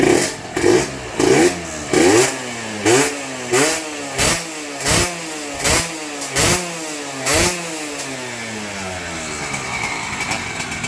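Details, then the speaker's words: Yamaha TZR with VR front, two-stroke, on the stock exhaust. About a dozen crisp rev blips climb and drop cleanly with the throttle, with no knocking or whine. The engine is described as fresh, strong and quiet, which is healthy free revving. "ครับคันนี้เครื่องสดมากครับและที่สำคัญคือวิ่งดีมากแล้วโคตรแรงเลยเครื่องยนต์เงียบกิ๊บนะครับไม่มีดังไม่มีหอน"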